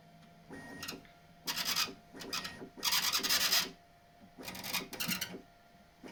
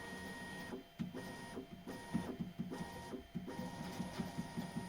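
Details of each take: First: Bambu Lab X1 Carbon 3D printer, turned upside down, bed moving: short rasping squeaks, quieter after wet soap was applied with a cotton swab to the edges of the belt tensioner roller. The belt rubbed the roller edges and rubber had built up there. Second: Bambu Lab X1 Carbon 3D printer, after applying soap to the bed belt tensioner roller where the belt rubbed its edge: stepper motors whir with soft ticks, bed squeak greatly reduced and running quietly.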